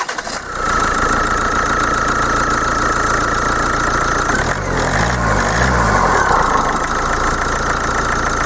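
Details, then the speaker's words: 2.0 diesel with a Bosch CP common-rail pump whose injectors had clattered and run unevenly, started with everything connected; it catches quickly and settles into an even idle with ordinary diesel clatter and no knock. "tak jak widzicie silnik pracuje bardzo ładnie dlatego się nie obawiam że w tym momencie coś pójdzie nie tak"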